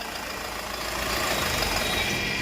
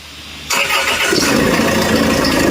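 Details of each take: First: Land Rover Freelander at idle after fitting a new V-belt tensioner: an even, steady hum with no squeal, chirp or rattle from the belt drive. Smooth and quiet after the repair. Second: Land Rover Freelander before repair, started and revved: a harsh, gravelly, tractor-like run with a steady mid-pitched drone. Accessory belt noise from a slack V-belt tensioner and a cracked belt.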